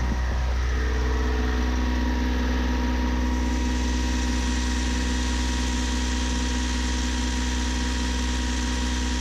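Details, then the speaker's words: Yanmar 3GMD diesel sailboat engine after injector cleaning, revved above the 1600 rpm cruise toward the rated 2400: heavy deep drone with a faint uneven throb; improved but still shaky, burning smell returns, vibration at high rpm. "it's definitely it's definitely improved some but i still think it's a bit uh it's a bit shaky usually it wouldn't do this so something is definitely better now"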